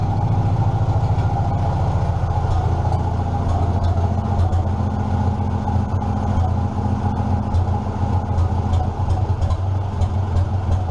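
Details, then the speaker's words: 1947 Farmall M tractor at a slow idle with the muffler pulled off: loud, raw exhaust bark with each firing pulse sharp and even; engine running normally without muffler. "well I figured I need to give you guys a little bit of a sound clip without a muffler so there you go"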